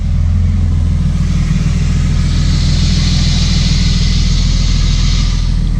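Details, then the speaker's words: BMW E30 idling smoothly with a steady, even low rumble and no knocks or misses, after a no-start traced to the fuel pump not running was fixed by unplugging the ECU, blowing out the harness connector and reconnecting it. "Bon bah les amis, elle tourne, j'ai juste débranché le calculateur. J'ai passé un coup de soufflet dans la prise du faisceau. Ensuite dans le calculateur, j'ai rebranché, elle a cache démarré."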